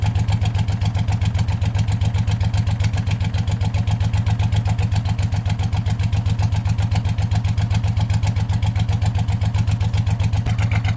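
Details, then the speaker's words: Hot rod tractor race mower go-kart idling with hood off: steady small-engine idle with a sharp, even ticking on each firing pulse from a known exhaust leak; a bit knocky, normal for this engine. "don't often hear it with the hood off so of course I found an exhaust leak which I already knew was there"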